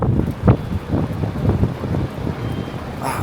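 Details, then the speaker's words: 36-inch two-speed shop fan that had only hummed without turning, running after repacking its four bearings, removing a spacer washer and adjusting the bearing plate. Steady airy whoosh over a low hum with no scraping or rubbing. "Wow, it works really well, to be honest."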